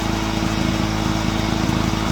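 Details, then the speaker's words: Honda EX350 generator started after sitting a while, with fresh fuel, loaded on a Kill A Watt meter reading 129 volts and 58.6 Hz: steady-speed buzzing with even firing and no hunting or misfire. It is running healthy. "let me get my kilowatt all right we got it plugged in 129 volts 58.6 Hertz all right"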